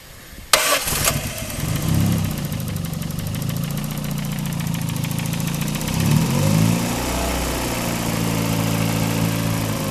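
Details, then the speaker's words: Daihatsu with alternator belt removed for test: starts cleanly, smooth steady idle with no whine or squeal; noise gone, confirming the alternator was the source. "You can see we don't hear the same noise, so we know exactly that is the alternator giving the problem."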